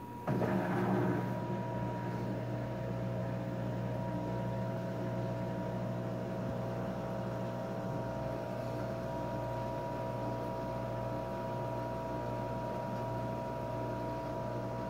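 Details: LG: steady, thin high whine at one pitch over a low hum for the whole run, then stops; whining noise, source unclear.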